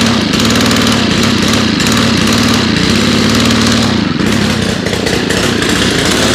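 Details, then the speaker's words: FS90R trimmer with a replacement fuel tank, run at about 30°F after 5 months on untreated ethanol-free fuel. It runs loud but flat and rough, wavering and not responding to throttle, smoking a lot: bogging because the choke is still on. "oh i am the dumbest person in the world forgot to take the choke off"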